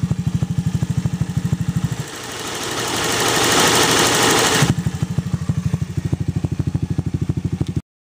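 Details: Zoomer-X scooter at idle with a brief blip: fast, even ticking of about three clicks a second; loose valve tappet clearance.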